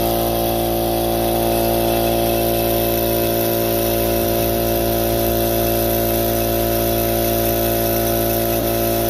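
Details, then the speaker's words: Harbor Freight Central Pneumatic air compressor after a top-end rebuild kit: steady, even pumping drone with no knocking or hissing. It previously took forever and stalled at 35-40 psi with weird noises; now it climbs straight to cut-off. "It's already going a lot higher up in pressure. As you can see, it just went straight up to where it's supposed to be, turned off, everything worked good."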